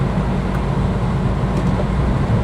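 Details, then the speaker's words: Car that sat in a field for months, starter binds, just started: rough lumpy idle with an uneven low beat as one cylinder drops out; dead miss misfire, blamed on sitting too long. "Oh, she's misfiring. She's not running very well. Come on. Don't do this to me."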